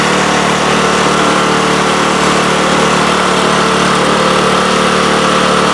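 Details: Craftsman snowblower after cleaning, lubricating the chains and readjusting the shift handle screws to fix missing 6th forward and slow reverse speeds, run through all speeds. Even, buzzy engine speed with no surging or rattling. Normal running, all six forward and both reverse speeds work.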